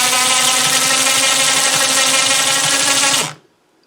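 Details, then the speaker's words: Snow blower chute winch motor, which made a terrible noise before, after disassembly and greasing its gears: steady high motor whine with even gear buzz for about three seconds, no grinding. Normal winch motor run. "a lot better already doesn't it"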